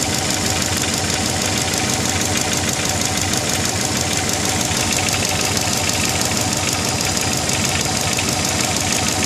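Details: Subaru Legacy GT at idle: fast, sharp metallic tapping on every turn with a bright hiss on top; owner thinks it comes from the turbo but wants to rule out piston slap or big end bearing; source not confirmed.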